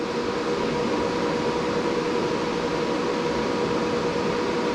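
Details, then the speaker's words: Closed-case BTC-S37 mining rig, 6x RTX 3060 Ti, mining, microphone at the air-outlet side where fans push air out, about 75 dB in front: loud steady rush of air, faint constant hum, no pulsing or rattle; fans normal at full speed. "il ya des ventilateurs et qui sort de l'autre donc là il ya un bon sens on sent qu'il ya beaucoup d'aires qui sort de ce côté là"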